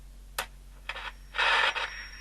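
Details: Ultra Transistor 6 radio after replacing a dial and capacitor, wavechange switch sprayed but still faulty: quiet hiss broken by crackle bursts and a louder rush of static, no clean audio; reception still weak.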